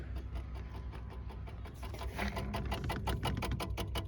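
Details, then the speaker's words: 1973 MGB after sitting 20 years, with carburetors refitted and battery connected: the electric fuel pump ticks rapidly and steadily, about two to three per second, speeding slightly as it primes; works normally, but a fuel leak was found dripping. "you hear the fuel pump ticking back there pumping up some fuel"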